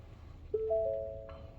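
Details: Brand-new Ford Transit key programming: soft two-note chime, then a higher steady tone as ignition comes on with the new key after cycling two existing keys; key program success follows; normal ignition-on chime.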